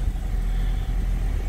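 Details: 2002 Honda Civic, 215,000 on the clock, after junkyard fuel pump replacement for hesitation and stalling: short stretch of steady low idle rumble, smooth with no stumble or misfire, running cleanly.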